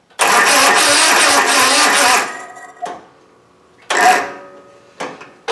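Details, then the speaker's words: Cub Cadet Ultima ZT2 zero-turn mower that would not start: the engine catches and runs roughly for about two seconds on starting fluid, then dies to weak coughs. The carburetor linkages are frozen and the carburetor is suspected to need cleaning. "It's running a little bit only on the starting"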